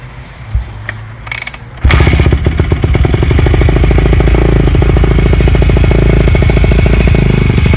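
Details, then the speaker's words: 2008 Yamaha YZ250F four-stroke single, Yoshimura slip-on with FMF Powerbomb header, mostly stock motor with dual valve springs, being started: it fires and settles into a quick, even, popping idle with no misfires, running normally. "all right guys since we did the walk around let's get this 250 started up and show you how it sounds"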